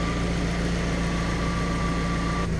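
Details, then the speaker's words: Project ECK20 Honda, warm idle just under 900 rpm after swapping the suspected faulty idle control valve for a new one, during coolant bleeding: steady, even idle with constant low hum and clean high tone, no misses or knocks; healthy. "Yeah, it's just under 900 as an idle. Perfect. Sounds good."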